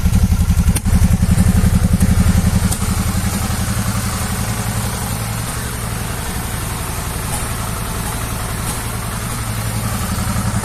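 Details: 2014 Suzuki V-Strom 650 ABS twin, warm, after replacing small hoses that caused air-leak-like popping in the exhaust at idle, now idles with a steady, even low thump and no popping; normal idle.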